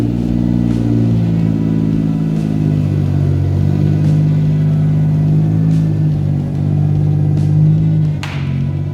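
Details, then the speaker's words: Daihatsu Cuore on airbags with newly swapped engine, running after no-run fixed by fitting the automatic dash cluster and plugging in the gear selector, air tanks filling; low steady hum, even note, no knocks or misses; normal running. "Everything's pulled apart because we couldn't work out why it wasn't running, but we've got it working now"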